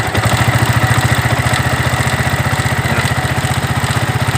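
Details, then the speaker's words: 2009 Yamaha Vixion at idle, noisy from the cylinder head even after timing chain and tensioner replacement: rapid, regular ticking knock with a scraping edge; caused by a worn, pitted camshaft bearing in the head. "Ada bunyi seperti gesekan dan bunyi ketukan juga ya. Bunyi bantingan, bunyi kontakan di dalam mesinnya."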